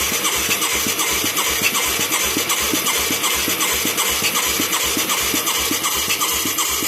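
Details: Mid-1980s Yamaha YFM200 Moto 4 with new carburetor and plug: steady starter chug about three strokes a second, no firing; good suction and fuel, spark unchecked, owner suspects valve problems; cranks but won't start.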